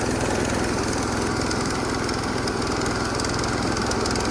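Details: Massey Ferguson 16 garden tractor with old Kohler single-cylinder engine, revived after sitting since about 2013 with a replacement aftermarket ignition (33-393); everything works: steady, even chugging at constant speed, no knocks or misses; running healthy.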